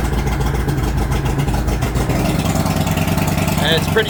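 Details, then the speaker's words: Mercury 2.5L 240 hp outboard on a 20 ft Allison, after cleaning the MAP sensor: rough, lumpy, smoky low idle with engine temp warning beeping though the engine isn't hot; cause unidentified. "What I do now is when I run it on the MS, it's really smoky. And even though the engine isn't hot, my engine temp warning light is beeping on and off."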